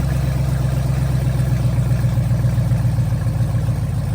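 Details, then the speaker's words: First start of a Gen4 LS-swapped Cutlass, fuel pressure holding 50 psi with no leaks, some smoke: loud, steady deep idle with even firing and no misses, knocks or ticks; normal running. "oh [ __ ] y'all heard it she started we got fire in the hole she pretty loud too"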